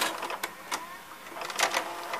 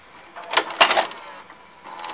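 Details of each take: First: Sony SLV-760HF VHS VCR: quiet whirring motor with light clicks and clacks as tape threads and plays; normal, healthy transport, though the cassette door sticks and must be held up to eject. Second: Sony SLV-760HF VHS VCR: short bursts of clicking and whirring from the tape mechanism that stop without ejecting; the tape won't eject, and the owner suspects an obstruction or a broken carriage.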